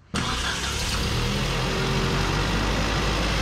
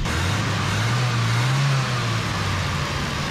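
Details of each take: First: Datsun mini truck carbureted engine on first shakedown after build, carb nuts retightened: steady idle whose speed lifts when sprayed at the carb base, vacuum leak at the base gasket persists; studs were turning, carb must come apart. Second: Datsun mini truck engine after parts were drilled out and reassembled with a spacer: steady low idle with only slight pitch drift, no hunting or surging, idling better.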